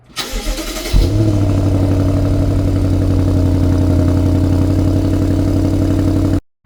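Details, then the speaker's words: BMW G30 M550 after replacing the original 2018 battery that caused slow cranks and dying: short crank, then a clean catch and quick rev settling into a smooth, even idle; a normal start. "just like that, we back in action."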